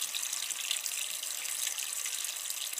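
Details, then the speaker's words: Old toilet cistern after a new bottomless-float fill valve was fitted, which cured the noisy flush: a soft, even hiss of refilling with no whistle or hammering, quiet normal operation. "Running. And it's quiet. It's a very quiet one."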